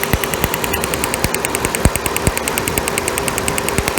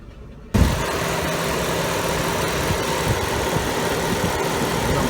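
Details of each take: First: 1998 Chevy Cavalier running rough, stalling, low power, check engine light on, long unused: sharp crackling snaps over idle from a lifted plug wire, nice blue hot spark on cylinder 3; healthy ignition spark. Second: 1998 Chevy Cavalier, hot day, check engine light, running rough, stalling, lacking power: petrol engine idles with an uneven, stumbling beat, cylinder 4 misfiring heavily, misfires also logged on 3 and 2; rough idle.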